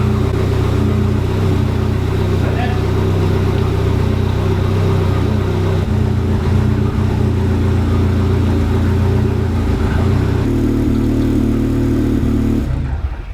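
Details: Ford Sierra Cosworth idling after fuel-line work and leak check, no drips: steady, even low idle with no misses, stumbles or knocks; note settles lower toward the end before shutting off; healthy-running engine.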